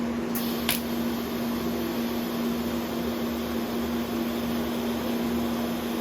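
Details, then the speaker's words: New Vulcan ProTig 205 TIG welder replacing 20-year-old Lincoln Square Wave 175 (gas control failed), welding with new torch setup: steady even buzzing hum over cooling fan hiss, no sputtering; stable arc, working normally. "Working. It's welding."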